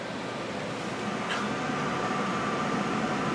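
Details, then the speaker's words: Carrier 92% efficient condensing natural gas furnace serving two first-floor zones: blower keeps running after the burners shut off to push out remaining heat, a smooth steady air rush with faint constant hum, no rubbing or rattles; normal blower operation. "so right now the blowers on the blowers are moving all the heat that it can and it does run for a decent amount of time"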